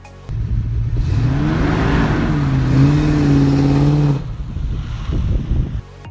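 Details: Manual-transmission car pulling away in first gear as the clutch bites: engine note climbs high and stays screaming. Too much throttle, so ease off the gas.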